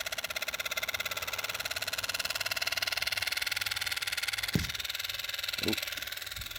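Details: Model train Fleischmann BR 51, low speed cold start: fast thin buzzing tick from the small motor with occasional clicks; noisy drive, cause unclear, owner suspects drive shaft needs sewing machine oil.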